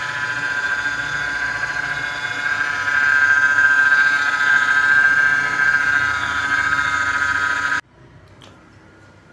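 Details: Mercedes-Benz R-Class (W251) with engine running: steady high-pitched howl rising a little before cutting out, power steering pump whining from low power steering fluid; top up before worse damage.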